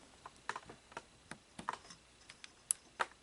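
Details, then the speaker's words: Sony SLO-420 Betamax VCR, 711 D chassis, with the threading mechanism turned by hand: small sharp clicks as the tape-guide position switch engages normally; the dirty switch still causes intermittent loading failures. "So there's actually a switch that comes on. You can hear the clicking sound."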